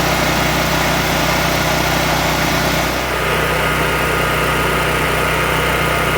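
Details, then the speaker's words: Firman H07553 9400 W dual-fuel generator, brand new on its first start on gasoline after an oil fill, electric start needing 8 to 10 seconds of cranking to prime: steady even drone with a constant low hum and no knocks or misses; running normally. "All right, that's all she wrote. But yeah, it ran pretty good."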